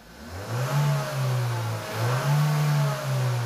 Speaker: no and the reason why I'm not hitting 90 percent is I am racing it up and you have a rev limiter